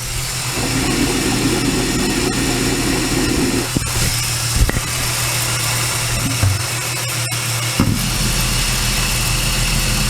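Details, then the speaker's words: VY Commodore L67 supercharged engine running, microphone on a steel bar against a drive belt pulley bolt: steady hum, smooth even bearing with no grinding; pulley judged not too bad, unlike the dry-sounding supercharger pulley being replaced. "Right. Next one's over here. Alright. This one's not too bad."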